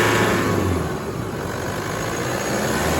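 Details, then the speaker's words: Diesel with a brand-new engine, started for a final check: a smooth, even idle with a steady low hum and no knocks or rattles. A possibly squeaky starter was heard at cranking. "how beautiful how beautiful is that just humming away just like a new engine"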